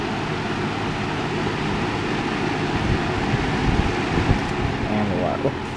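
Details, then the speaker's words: Lasko 3733 box fan rescued from the trash, motor cleaned with Q-tips, running on high then medium of three speeds: steady even rush of air over a low motor hum, no rattle, tick or scrape; normal running. "Let's turn it on now. Three speeds and works about how you'd think it would."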